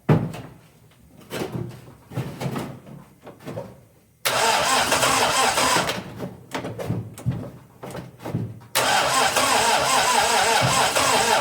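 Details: 1961 Triumph TR3A, barn find off the road since 1985, new high-torque starter; fuel just turned on, possible fuel leak, choke not working, throttle used: starter churns in two steady whirring bursts with no firing; cranks but won't start.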